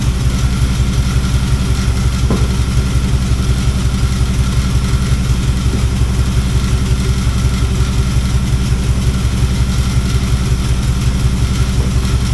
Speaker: Sounds to me like this alternator is making a little noise. This might not be a bad thing cuz I'm probably going to wind up replacing that alternator with a bigger one when I put that battery powered air conditioner in here.